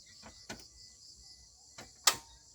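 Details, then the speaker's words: Pickup truck with a completely flat battery, AC and electrics off: a few sharp separate clicks with no cranking, starter unable to turn over from a dead battery. "ยินเสียงก๊อกแก๊กก๊อกแก๊กครับไม่ติดนะครับไม่ติดคือหมดเลยคือไฟหมดเกลี้ยงเลยครับ"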